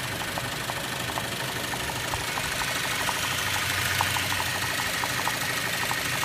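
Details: 2013 Cadillac ATS 2.0L with 6-speed manual, no codes, shaking at idle and stalling: uneven idle with light irregular knocking about three per second, heard with the hood open; cause unclear.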